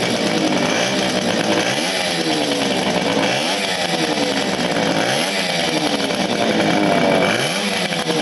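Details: 1975 Motobécane Motoconfort 125 LT2 two-stroke, first start after restoration, idle since the late 1990s, new crankshaft and gearbox bearings: revs climb and drop cleanly in repeated blips, crisp exhaust, no knocks or misses.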